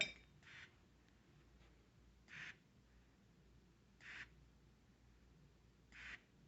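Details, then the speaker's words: Portable on-demand oxygen tank with nasal cannula: short soft hiss puffs from the regulator about every 1.8 seconds, one with each inhalation, in a quiet room. Normal pulse-dose delivery. "as you breathe in through your nose there'll be a puff and you can hear it right in the regulator of the oxygen tank"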